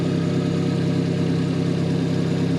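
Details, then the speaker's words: Car engine after the owner tightened the head bolts, fitted a new belt and set the timing, following rough running, misfiring and smoking. Steady, even low idle with no knocks, misses or stutters; it runs smooth again. "oh guys it runs great runs smooth again"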